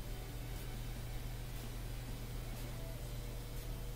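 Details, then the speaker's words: Bosch Axxis washer, dual cold water pre-wash inlet valve energized: steady low electrical hum but no water entering the dispenser; owner suspects this water inlet valve has failed and needs replacing. "it's supposed to be water coming in right here but there's none so I think that's the water valve I got to replace"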